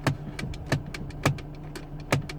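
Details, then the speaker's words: Mk5 Ford Fiesta at idle while the steering wheel is turned: sharp clicks about every half second over the idle hum as something in the column catches; owner suspects the indicator stalk. "that's the it caching on something and I don't quite know what but the only thing I can indicate from this is that it's coming from the indicator"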